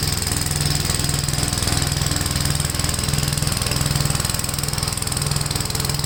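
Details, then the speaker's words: Gravely tractor running brush hog mulcher deck via PTO after clutch adjustment: steady, even engine chug about 3.5 beats per second, no shake or clatter; owner unsure tractor has enough power, blade taking power. Normal running under load. "I don't know if this tractor has enough power to run that you can tell it's taking away power"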